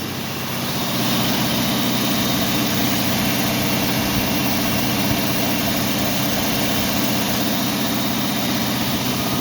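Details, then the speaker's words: Cold start in rain with garage door closed, after fitting new plug wires to cure a miss; steady even idle rising slightly after start and holding high, rain hiss behind — high cold idle. "So we'll do a quick cold start. See if I can put you up over here. You can hear the rain pitter-pattering. Idle and high, of course."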